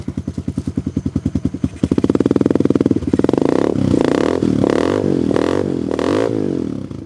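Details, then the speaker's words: Tao Tao Coleman 125 ATV warming up after a chokeless start, on a new 28mm exhaust and silencer, with the idle possibly a little high. Even single-cylinder putter, then smooth throttle blips climbing and settling cleanly, with a slightly throaty exhaust; healthy engine. "So that pipe sounds pretty good. It's got a little throat to it. Once it warms up."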